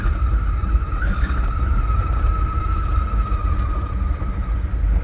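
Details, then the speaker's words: Heavily laden Invacar (TWC 725K) on a road trip after about two hours of driving: a steady high-pitched squeal holds at one pitch over the road rumble; source not identified. "Now I need to find some tea. Right. Oh, squealy, squealy."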